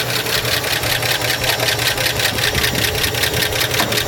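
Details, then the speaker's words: Roughly 70-year-old barn-find car, cold first start, 50 psi oil pressure: fast even typewriter-like clacking of dry, unoiled rockers; valve cover to come off if oil doesn't reach them within seconds. "All right, we got 50 lbs of oil pressure, but I hear the rockers up here super dry. So, hopefully they start oiling here pretty quick."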